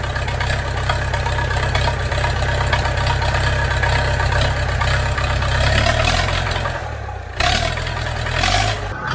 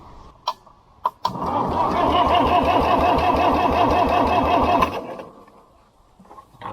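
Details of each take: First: International B414 four-cylinder diesel tractor, unused for 20 years, just started with ether after long cranking and still on old sludgy oil: it settles into a steady, even low chug with no knocks or misses, running smoothly and sounding healthy. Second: International B414 four-cylinder diesel tractor after sitting 20 years by a pond: steady, even cranking at about three turns a second for roughly four seconds with no firing; glow plugs possibly disconnected; engine cranking.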